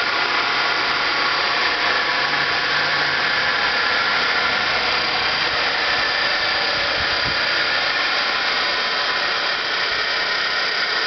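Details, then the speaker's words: Electric vehicle DC motor, run from 12-volt AGM batteries during brush seating: steady hissy scraping rush at constant speed, no knocks, noticeably quieter than at first setup; brushes still bedding in on commutator. "So as you can hear, it's still fairly noisy, but it has quieted down substantially from when I originally had this thing set up."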